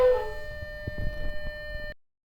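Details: Audi B6 S4 during an oil change: a steady, hooting honk rings through the shutdown and dies away with the engine; a vacuum leak is suspected.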